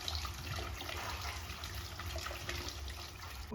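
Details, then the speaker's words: Hot-water boiler heating zone bled backwards from the supply side, no-heat service call: water spits and gurgles in uneven bursts from the hose as air is purged from the zone lines. "look at that air look at the hoses kind of convulsions that's the air that's air in the lines"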